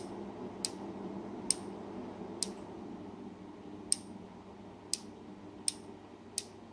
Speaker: All right, so that is a healthy relay. You can actually feel it clicking over while holding it, and it's a nice, strong, audible sound when that relay clicks over.